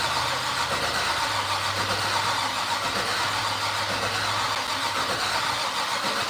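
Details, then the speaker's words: "Fatsun", first start attempt in 3 years, fuel lines just swapped: starter keeps cranking with no firing or catch; cranks but won't start, owner questions whether the ignition is on, no spark. "is the ignition on do we have an ignition switch on you know what I mean yeah cuz that I mean that's kind of what it's doing it's like trying to start huh"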